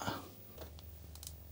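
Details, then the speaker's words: Commodore 1701 monitor switched on in unknown condition; thump at switch-on, then a low steady hum with sparky static crackles as the tube powers up, normal. "okay I can hear the humming a little bit the Sparky sound"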